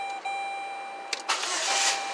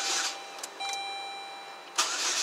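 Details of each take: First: 2007 Saturn Ion 2.4 Ecotec with code P0336 and intermittent crank/no-start, after the repair: a short starter whir, then the engine catches cleanly and runs evenly. No more crank-signal spikes; a normal start. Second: 2007 Saturn Ion 2.4 Ecotec, intermittent crank no-start with code P0336: repeated one-second starter bursts with a dash chime between them, and the engine never fires; faulty crankshaft position sensor.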